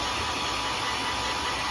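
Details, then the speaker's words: Tany Pro 3000 hair dryer (220 V, 1200–1400 W) after repair of a knocking from a drop: steady, even airflow rush with no knocks or rattles when shaken. "Vamos ligar agora. Beleza, aí já não tá fazendo mais, né?"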